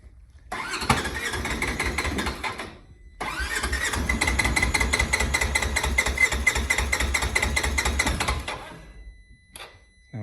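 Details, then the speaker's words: Polaris Ranger 900 XP side-by-side, hard to start with loud motor noise, after reassembly (compression was 125 and 85–90 psi): two long bursts of even cranking without catching; still won't start without throttle but idles once throttle released; hard start, cause not evident. "it's still not wanting to start on its own without giving it throttle but the weird thing is as soon as you give it gas and let off it'll idle onine"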